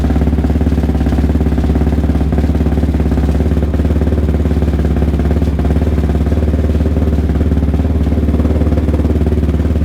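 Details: ATV "Randy Savage" single-cylinder after a full engine rebuild, Rossier R5 fitted, first start: loud, deep, even thump at about 3.5 beats per second, steady with no knocks. Runs healthy.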